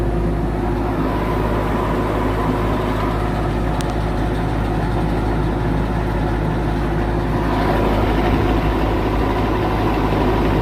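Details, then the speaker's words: Condenser fan motor on a fairly new AC unit run alone by pushing in its contactor: loud steady drone, low hum, rough slightly uneven whirr; drawing 3.18 amps against 2.8 FLA, so the condenser fan motor is failing. "So, this is pulling 3.18 amps. FLA is 2.8. We got a bad motor, y'all."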